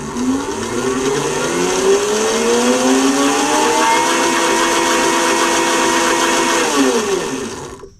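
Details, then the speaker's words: Brushless DIY drift kart (Crazy Kart) with a Flipsky 7070 motor on a VESC controller, running FOC motor detection that spins the wheel forward and backward; smooth electric whine climbs, holds, then winds down: normal motor detection spin. "going to run its detection. It's going to spin the wheel forward and backward."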